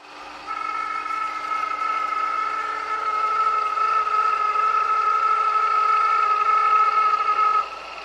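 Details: Honda S2000 engine bay: steady high whine with a rough grinding edge, whirring rising in pitch with rpm, still noisy after the auto tensioner and pulley were replaced; cause unknown.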